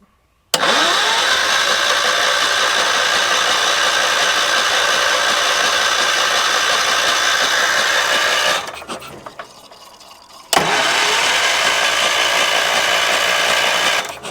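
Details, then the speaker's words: 1978 Wheel Horse C-121 garden tractor: two bursts of rattly starter cranking split by a pause, never catches; starting fluid tried. "There's nothing there. It's just that simple. There's just nothing there."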